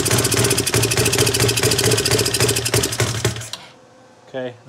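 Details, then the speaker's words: CFMoto 250cc 172MM GY6 single-cylinder after head rebuild, idles fine but on throttle: uneven sputtering beat about four pulses a second that breaks up and dies; misfire, later traced to faulty ignition pickup coil. "So basically, you give it too much gas and then the thing, it just kills over. So I've gone through, you know, is it a question of richness? Is it a carburetor problem?"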